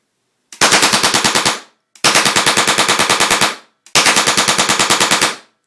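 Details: UK-spec deactivated M26 Chatellerault light machine gun fitted with an LPG propane-oxygen gunfire simulator, both gases at about 5 psi: three clean bursts of sharp, evenly spaced bangs, around ten a second; normal firing.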